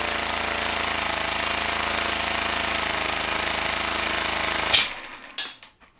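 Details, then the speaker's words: Homemade compressed-air engine in a vise, throttled by a pressed button: rapid, even chuffing at roughly four beats a second runs steadily, then cuts off abruptly; normal running. "so you can almost idle it and then oh stop and really low idle speed and then I circle"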